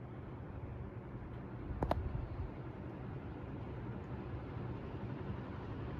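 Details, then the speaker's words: 1978 Dayton/Lasko/Sanyo ceiling fan with Sanyo motor and freshly replaced bearings, set to high: soft, steady rush of air over a low rumble with no ticking or grinding; normal running on high speed. "so yeah that is high as you can see in here it moves a good amount of air"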